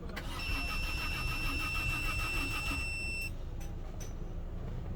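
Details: Peugeot 407 V6 after head gasket replacement: steady cranking, about three compression beats a second for three seconds, never fires; crank no start. All six injectors get no signal or power (P0201–P0206); cause suspected, not confirmed.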